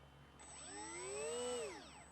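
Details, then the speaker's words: HobbyKing EZIO 800 RC glider at its maiden flight with a new, charged battery. A shrill screaming whistle climbs, holds about a second, then falls; it did not happen during checks at home. Faulty brushless ESC. "i don't know if you heard it but there was a screaming sound i hope it's okay"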